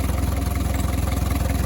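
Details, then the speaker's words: 1982 Mercedes 240D W123 diesel, sat at least 3 years, just restarted after auction purchase, air cleaner box not fully attached, suspected exhaust leak: low diesel clatter at idle with quick uneven throbbing, engine shaking rough; cause not confirmed. "shaking a little bit hopefully it will smooth out a little"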